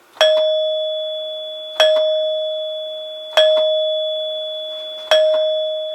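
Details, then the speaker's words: 1930s NuTone Time-Chime 2-note door chime after cleaning solenoids and plungers and reassembling the base: four clean single strikes about 1.6 seconds apart, each ringing a clear long-fading tone; working properly. "I would say that it works exactly like it's supposed to it resonates really nicely the tone carries for a long time once the plunger has hit the tone bar and it's in good working order now"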